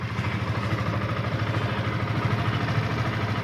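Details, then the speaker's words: Yamaha FZS V2 single-cylinder motorcycle at 437 km, idling after tappet and timing chain adjustment: a steady, even idle with a soft regular beat and no tapping or chain rattle. Normal idle. "এখন সাউন্ডটা সুন্দর হয়েছে, একদম perfect sound. Tappet adjust করা হয়েছে, timing chain adjust করা হয়েছে, সুন্দর, একদম পারফেক্ট।"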